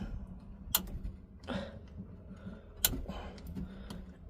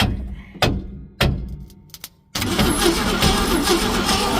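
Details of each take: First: 1966 Ford Econoline being revived: with power confirmed at coil and points, distributor points snap sharply every second or two while cranking over a quiet background, blue spark visible; normal ignition points operation. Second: 1966 Ford Econoline, plug wire checked for spark: a few clicks then steady fast cranking, engine not seized but never fires; no spark, no power feed to the ignition coil.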